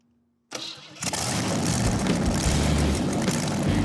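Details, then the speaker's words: Junk-parts custom hot rod build, first start with a different ignition coil fitted. The starter cranks briefly, then the engine catches and settles into an even, steady beat with no knocks or misses: healthy start. "I'm very happy with that. That sounds like a good engine."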